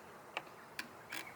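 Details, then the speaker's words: Relay on the vibrator wiring of a mini 1–1.5 ton compactor roller, grounded and tested by touching positive: two crisp single clicks about half a second apart in a quiet room as it pulls in; working normally. "So whenever I click the uh positive on here, you can hear that click."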